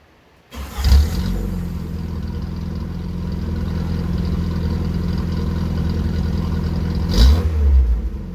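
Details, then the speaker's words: 1981 VW Rabbit with 1.8 swap, after installing 4-2-1 dual downpipe and thrush muffler to fix suspected front manifold leak; engine catches and settles into deep even burble with a short throttle blip, no puffing leaks: normal exhaust note. "That went a lot better than I expected. I only hoped to close up some of the leaks, but now the exhaust sounds really, really good."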